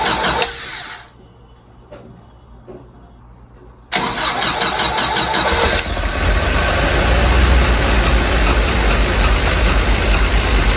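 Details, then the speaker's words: 1952 Willys CJ5 with rebuilt F-head, new Universal Daytona carburetor and fresh tune-up after years sitting: cranks a few seconds, catches, then holds a fast, loud idle that never drops back; owner suspects the throttle is sticking open. "I'm not too sure what's going on there. Sounds like the throttle is sticking open."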